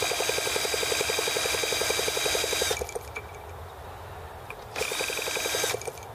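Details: T26 model engine at 3°F (-13°C), after a valve job and rocker-arm and carb tuning: the drill whines, spinning it with quick regular compressions, about four a second, in two bursts; it never fires. Cold no-start, with the carburettor icing.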